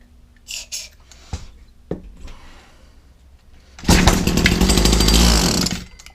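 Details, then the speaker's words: Old Husqvarna 22R two-stroke strimmer, choked, primer not seeming to work: coughs and catches, screams briefly under throttle then dies; suspected fuel starvation, carburettor to come off, may need fuel lines and filter. "No, as soon as you hit the old beans, you don't want to know. Carburetor off, and we're going to have a look, see what's inside here. It may not even be getting any fuel, so it may want where on there."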